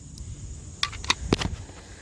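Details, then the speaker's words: Sharp, dry snaps from a live cattle electric fence wire arcing at a fault point during a fence inspection. "I hear more snapping. And where is it? It's on this something. That's bad."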